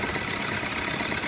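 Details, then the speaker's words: Maruti Brezza diesel after engine refit and bleeding air from the injector nozzles; steady even idle with a light fast tick and no knocks or rattles; formerly loud, now a fine quiet sound, normal idle. "ये हो गई बारीक आवाज़, इसकी आवाज़ बहुत पहले तेज कर रही थी।"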